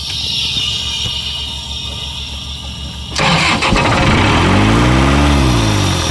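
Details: Isuzu 4LE2 diesel on an air compressor that previously would not start, with smoke coming out of the intake while cranking; others blamed cylinder 4. After the cylinder head was refitted, the starter churns about three seconds, then the engine catches into a steady, even idle.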